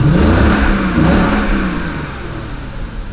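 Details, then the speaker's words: Mercedes CL 500 with LPG system after replacing loose, wrong spark plugs that had caused the engine light: revs up and settles back smoothly, no stuttering or shaking, now running perfectly with full power. "also motor läuft jetzt einwandfrei"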